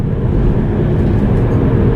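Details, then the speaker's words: 2010 Volvo V50 driving at about 40-50 mph: steady low droning rumble, more pronounced around 45 mph, persisting in neutral so not the gearbox; suspected wheel bearing, unconfirmed. "50 m hour 40 mph 45 is a bit more pronounced I think that is a wheel bearing we knock it into neutral and the noise is still there so it's not the gearbox"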